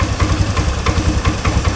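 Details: Honda Scoopy FI that stalled when the throttle was released, with throttle body refitted and the missing air filter element noted during idle setting: idle holds at about three soft chugs a second, fairly even, no stalling or hunting; idling properly.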